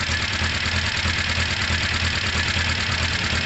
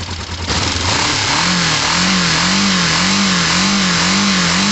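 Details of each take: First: Motorcycle running through fuel at idle; even steady beat about three a second, no misses, knocks or hunting: running right. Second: Motorcycle run to use up its fuel; twin revs in rising and falling swells, then a sharp pop as a coolant hose blows off, its clip missing; owner refits a clip and plans to top up coolant.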